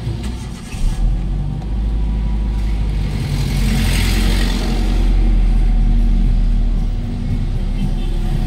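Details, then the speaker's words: Hyundai Getz 1.6 that was misfiring and shaking: starts, revs briefly, then smooth even idle with no shaking or missed beats; problem solved. Normal idle. "Oo nga no belt lang h nagagastos ng malaki tapos yung panginginig wala na ganda na oh"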